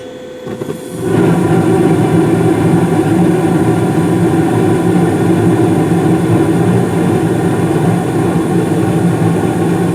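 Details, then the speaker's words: 2016 Carrier gas furnace, first floor, five years old: quiet, then a steady low rush of air as the blower kicks on, smooth and even; normal gas furnace startup. "so and of course you probably didn't hear it but right there the uh blower just uh kicked on"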